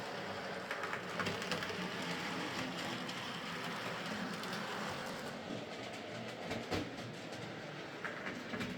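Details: Hornby Sir Dinadan model locomotive after fitting a Peter's Spares replacement motor, running on track: quiet, even motor hum over rail-joint clatter, smoother than before, with a 50% or more cut in current draw from just over 200 mA; normal running.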